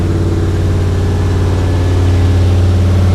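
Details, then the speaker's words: Firebird WS6 V8 parked 10 years, first start on jump box, cooling fan running and engine hot: loud, fast, even idle with strong low rumble, idle speed too high; owner suspects vacuum leaks. "what the heck why did I Le so high though so it's the vacuum leaks"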